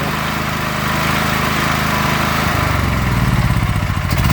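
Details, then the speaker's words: Predator 8750 W generator with a Nash tri-fuel kit on propane: steady drone turns lumpy and uneven halfway through, the beat pulsing, as the idle block is screwed in too far. Rough running from a misadjusted propane idle adjustment. "But if I back it out too much, you hear that? It's not running quite so good."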